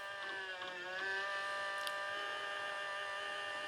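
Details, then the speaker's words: HP Vectra Pentium II desktop PC just powered on: steady high whir with several bright tones holding level after power-up; noisy cooling fan. "Oh, there we go. She's fired up. Oh, noisy fan."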